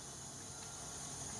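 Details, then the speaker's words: Chevrolet LT1 V8 after a bang/backfire, cylinder leak-down test: steady soft hiss of air escaping into the exhaust; exhaust valve leaking, found to be a bent valve likely from the backfire. "obviously we have a major problem here and it sounds like it's the exhaust because you you can hear that in"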